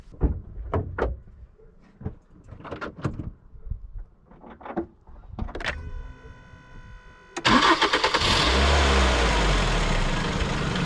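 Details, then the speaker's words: 2009 Ford Focus 1.8 Duratec 125 hp flexifuel petrol, 179,000 km, ex-Sweden: handling clicks, quick crank and clean catch settling into a smooth, very quiet, even idle with no belt noise; healthy normal cold start and idle. "Mamy go chodzącego. Wszystko chodzi, jak widać, bardzo cicho, żadnych pasków nie słychać. Elegancko."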